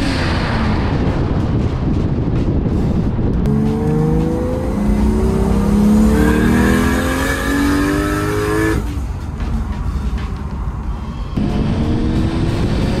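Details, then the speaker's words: Turbo Toyota Chaser with newly rebuilt 1JZ, after reattaching a disconnected charge pipe, driving under hard acceleration: engine climbs strongly through gears, loud wastegate, no hesitation; boosting normally at about ten psi. "wow it's loud the wastegate's loud the gloss doesn't seem that loud he'll be happy with that yeah that sounds good feels good"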